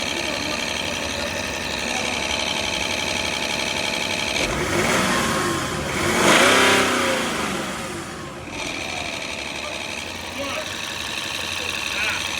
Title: Стук мотора решён замена Демпфера коленвала (шкив)